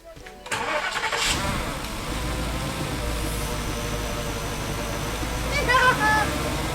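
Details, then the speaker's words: Porsche Cayenne Turbo after an oil change and the intake pipe and sensors were refitted. Starter whirr, then the engine catches and settles into a steady, even idle; the earlier engine noise is gone. "let's see if it'll run for a little bit longer but yeah the noise to me had gone which yeah I'm quite excited"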